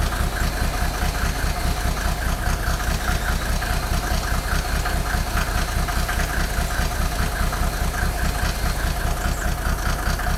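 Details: Mercedes OM603 diesel, cold: loud clatter about two and a half beats a second, lumpy, with heavy shake, misfiring rough idle; smoke drops only with injector lines 2 and 6 cracked, glow plugs tested fine, still rough warm; cause unconfirmed.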